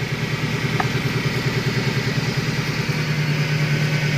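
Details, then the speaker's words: Car engine idling with a steady low hum over the running note, heard from inside the engine from starting; cause found to be a dirty, crushed oil strainer after the oil pan hit a rock. "ini penyebab bunyi dengung ini berasal dari filter atau saringan oli saringan oli itu kotor dan kena cutter ya"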